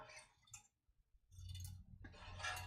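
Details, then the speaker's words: Aluminium TIG-welded catch can for Nissan S13 shaken by hand: short bursts of tinny clinking as a loose weld dag rolls inside the tank. "there's a little dag in this tank somewhere i don't know if you can hear the rattle in there"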